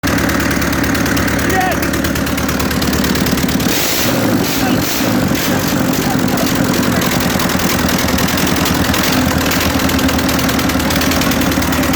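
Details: A-41 diesel engine, first start after a major overhaul: clatters into life and settles into a steady, even beat with no knocks or misses; sounds healthy, normal running.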